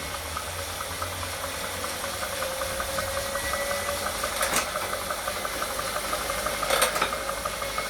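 Quiet high whine that rises slowly, with irregular soft knocks and two sharp clacks; trainer drive noise, cause not known.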